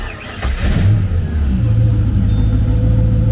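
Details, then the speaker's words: GT40 V8 in a Nautique boat, with a new low-pressure fuel pump and fuel pressure primed to 40 PSI, cranks briefly on a cold start, then catches cleanly into a steady deep idle with no stumble, with spark confirmed; normal cold start. "starts up just fine cold and we got ourselves a spark runs just as it should"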